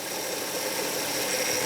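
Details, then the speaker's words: 2004 Hyundai Sonata at idle, recorded under the hood near the pump while the steering wheel is turned: thin whine over hiss, rising and falling and sometimes louder; noisy power steering pump that appears to be leaking fluid, to be replaced. "i don't know if you can hear that noise but this power steering pump is really noisy and this noise gets louder sometimes"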